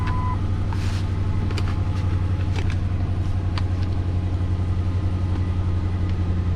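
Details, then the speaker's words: Lincoln MKT (titled 2005) at a low, lumpy idle with an uneven beat, exhaust stumble and felt shake. Misfire with timing issue on bank 2. Power balance test shows cylinder 5 not contributing at all, a dead cylinder. "number five is a cylinder that is not contributing at all"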